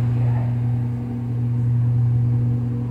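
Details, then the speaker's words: GE Adora washing machine ramping up into spin: steady low motor hum with the drum turning smoothly, no knocking or grinding; normal washer spin. "yeah there it goes Mommy it's ramping up Mommy it's ramping"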